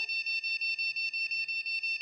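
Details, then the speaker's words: Continuous high shrill beep, about six per second, from a DDR2 motherboard (RAM slot 1.8 V checked OK) at power-on with no display; continuous beep code means RAM or RAM slot not working or not connected properly. "এই ধরনের continue যদি একটি beep sound হয় তাহলে বুঝতে হবে RAM slot অথবা RAM সঠিকভাবে কাজ করছে না।"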